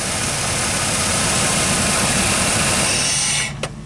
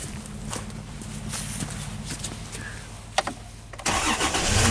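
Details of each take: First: Dodge Dakota: engine idles with a steady rough drone, then cuts out abruptly when the 5 V sensor reference is grounded through a test light. The computer stays alive, sets a TPS voltage code, and it won't restart with cam and crank signals missing. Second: Dodge Dakota with a PCI bus fault, restarted after removing a ground on the sensor reference during diagnosis: starter cranks evenly almost four seconds, then catches cleanly and settles into steady idle; normal start, fault not recreated.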